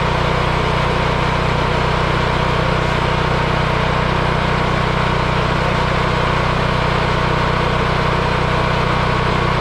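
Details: Yamaha EF4000DE generator: steady, even single-cylinder drone at constant speed with no surging or knocking; owner believes low oil had triggered the low-oil shutoff that kept it from running; normal running.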